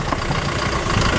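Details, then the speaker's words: Car driven on a deflated tyre, pressure lowered well below the usual 30–40 psi: heavy constant rumble and rattle while moving, high friction braking the car off-throttle though steering is fine. "Car बिल्कुल ठीक से मुड़ रही है। लेकिन यार, ये आवाजें तो बिलकुल ही पागलपन भरी हैं।"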